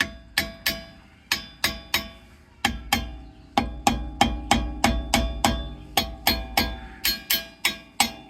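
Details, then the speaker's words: Wheel lugs tapped after fixing wobble from a spacer install: sharp metallic taps with clean ring, no dull thud or rattle; metal-on-metal, wheel tight on hub with no play. "We're going to tap each lug here, and you should hear a ringing sound."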